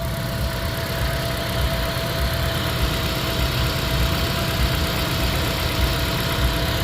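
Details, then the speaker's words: 2014 Toyota Prius 1.8 L engine, 167,000 miles, noisy on startup and growling when pulling away with check engine light: loud uneven lumpy idle; block test fluid turned blue to yellow, confirming blown head gasket. "So this was blue to start with, and now it's yellow. Blown head gasket."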